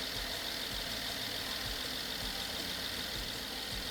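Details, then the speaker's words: BMW F10 550i N63 V8 after hydrolock rebuild and cylinder wall repair, first startup after fixing unplugged ignition supply connector; steady even idle, smooth hum, no knock, misfire or smoke; healthy. "Yay! Doesn't misfire. Works good."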